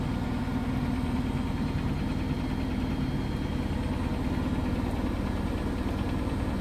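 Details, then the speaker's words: Biasi Riva HE boiler with a flashing red airflow-fault light, case off: heavy, even low drone with a rough churning edge as the fan strains through water built up in the recuperator from a blocked condensate line, making the flame go out. "so we could hear that noise that's why we could he that noise before that was a water inside here the fan trying to blow through the C recuperator because of the water build up that's what's making the flame go out"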